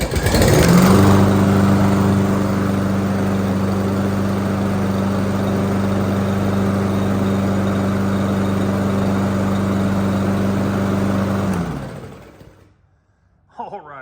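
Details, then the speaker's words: Briggs & Stratton lawnmower engine with an auto choke, after freeing the stuck choke butterfly and lubricating it with oil. It pulls over, fires within a second, then holds a steady, even drone for about ten seconds before shutting off. Normal start and run. "all righty so with any luck it should crank on one foot okay"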